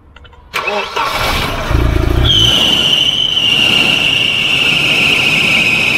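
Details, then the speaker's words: Volvo 240 wagon (245) abandoned for years, first start with old varnish-smelling oil; catches after brief crank into slightly uneven idle with thin high whistle; owner says a little rough, needs fresh oil; rough idle. "obviously need some fresh oil you can hear it's probably a little bit rough sounding"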